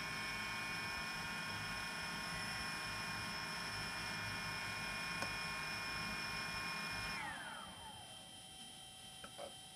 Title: Zenmuse H3-3D gimbal abnormal sound. How to fix this problem ??